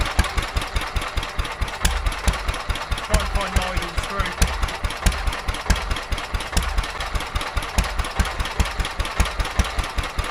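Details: Petter A11 (A1 series 2) vintage single-cylinder stationary engine, owned 12-13 years, stored damp in a container for four years, first run after revival: thumping about two beats a second, uneven with weak and missed firings; owner suspects fuel starvation from dirt in the carburetor.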